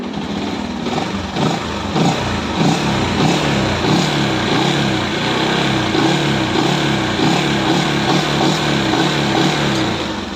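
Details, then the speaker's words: Sniper 135 after troubleshooting; earlier shop replaced block and connecting rod but loud ticking remained, worst when revved. Now small single fires evenly, pitch rising and falling with throttle blips, no ticking; normal idle and revving, engine fixed. "So ito na yung result natin. Okay na yan o. So, umandar na yan."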